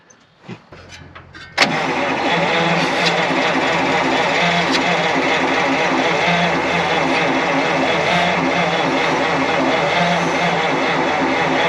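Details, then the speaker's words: 1953 Pontiac straight-eight, off the road since 1971, first start attempt: steady slow cranking about four turns a second, never catching; engine nearly frozen, suspected flooded. "Oh geez, it's about frozen. It's sniffling. I think it's flooded out."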